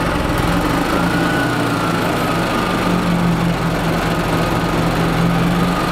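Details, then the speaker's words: 1996 Yamaha G14 gas golf cart, a crank-no-start after sitting over winter, fixed by priming the fuel system. The engine smokes a lot, has no oil, and the governor is cranked to max. A loud single-cylinder clatter with a hard bottom-end knock rides on the revs; owner thinks the cart was abused. "wow she has got a loud knock i think they beat the crap out of this"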